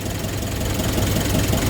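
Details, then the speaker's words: 2020 Nissan Urvan NV350 diesel after repairing a short at the bumper that caused P0642 no-start: steady, even idle with light regular clatter, no stumbles; check engine light gone, no DTCs; normal idle. "Ayos. WS na po. Wala ng check engine. Umaandar na rin siya."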